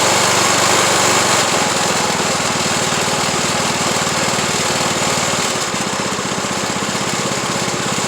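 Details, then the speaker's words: Craftsman YT3000 lawn tractor after oil change, still smoking (owner suspects head gasket): loud rough run with a regular rattling knock about four per second, source uncertain; abnormal knocking noise, cause not confirmed. "White's making that noise like it's doing it's weird how that's sounding"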